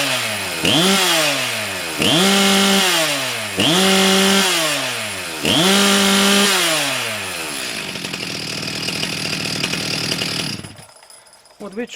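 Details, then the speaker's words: STIHL MS 361 chainsaw after carburetor repair for flooding/running rich, needle valve checked: four quick crisp revs climbing and dropping back cleanly, then steady idle with no bogging or stumbling; runs perfectly after the fix. "чули бачити зараз запустилися все в ідеалі"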